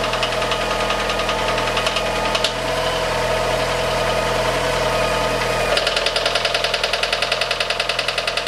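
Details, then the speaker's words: Fiat 500 just after cambelt and water pump replacement, first start: light metallic tick about three a second over a steady idle, like a knife and fork hitting, louder toward the water pump end; cause unconfirmed. "it got more metallic until you got on here and it was really loud it was basically like someone hitting a knife and fork together very metallic ting ting ting ting"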